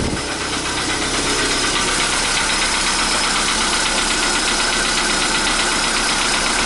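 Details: 2015 Volkswagen Polo Sedan, CFNA engine, cold start at 0 °C air temperature: a cold idle with a steady, rapid knocking of about four per second over the engine; cold-start knock, cause not confirmed.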